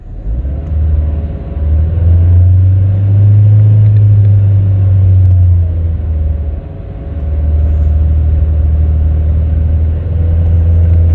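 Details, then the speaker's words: Audi A1 salvage car after sorting the spark plugs and replacing the faulty O2 sensor for an MOT emissions fault: deep, even rumble swelling and settling smoothly with throttle, no stumbles; running better, fault believed cured; normal running. "i think we have cured the fault once and for all that was causing the emissions was the spark plugs and the dodgy o2 sensor which we knew about so i'm going to take it around the block as well just to double check take it for a quick spin but it's definitely running better"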